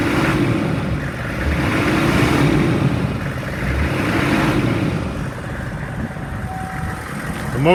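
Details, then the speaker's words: 2002 Hummer H1, 6.5 liter diesel, 33,000 miles, warm after running over an hour without overheating: engine climbs and falls cleanly through several quick revs with no knock or stumble; responsive, normal revving. "Sounds good. I'll rev it up for you. It's very responsive. It revs up nice."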